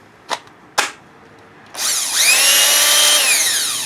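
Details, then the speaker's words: Makita BHP452 18V hammer drill after gearbox cleaning and rebuild with light grease, on a weak battery: two blips then clean, steady high motor whine spinning up smoothly, no grinding or rattle; runs healthy now that dirt is gone. "yeah hear the motor now I mean it was so clogged with dirt"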